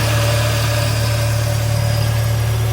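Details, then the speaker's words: Morris Minor started after years off the road, new fuel pump ticking, choke partly in, still warming, exhaust only partly fitted, timing and mixture not yet set: deep, even low hum with a steady beat and no misses or knocks; smooth idle. "oh didn't that idle well the exhaust I've only gone to here so that's all we've got an ex so I haven't put the rear on Section on yet but with no timing or anything that is running like an absolute champ fuel pump's ticking away"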